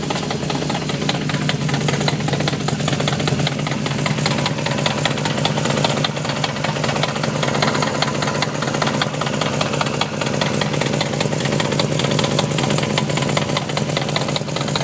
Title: e30 v8 5 speed gearbox knocking noise